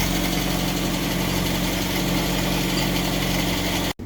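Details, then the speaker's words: 1962 Land Rover Series 2A 2¼ petrol, first start after over 10 years sitting, new leads, on original stale 10-year-old fuel, slightly smoking: steady even idle, no misses, knocks or hunting, about four seconds then switched off; normal idle. "right so that's uh oh that's awesome well needed reset leads on it and it ran on the original stale 10 year old fuel so that's a little bit smoking it stinks awful"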